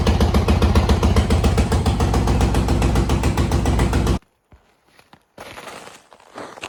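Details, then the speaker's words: 1986 Honda TRX200SX ATV after tank, new petcocks and carb clean with new bowl gasket: fast even single-cylinder putter, then abrupt cutoff; runs much better, though seems to starve on reserve. "right maiden voyage on the old TRX it's doing pretty good whatever reason it runs a ton of a lot better heck of a lot better"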